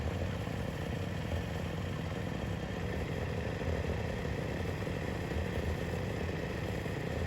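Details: YFZ WR450 478 hybrid single-cylinder after head gasket repair: chugging at steady idle with no knocks, misses or odd noises; healthy with good compression.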